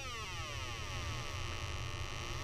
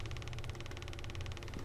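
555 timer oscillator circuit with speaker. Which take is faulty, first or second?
second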